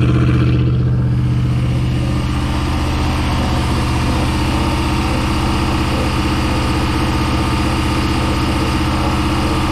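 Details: Project boat, starboard engine at its first start-up on a water hose: loud steady idle with a regular tapping beat at about three per second over the exhaust; owner suspects a rod knock, to be confirmed by pulling the engine.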